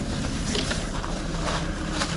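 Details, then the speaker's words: Ford Focus 2 after alternator belt replacement, heavy electrical load (high beams, window heaters, AC, full heater, hazards): steady low engine rumble with no squeal; worn belt caused the earlier squeal under load, new belt runs quiet. "Давайте проверим ещё раз. Всё работает. Ремень не свистит."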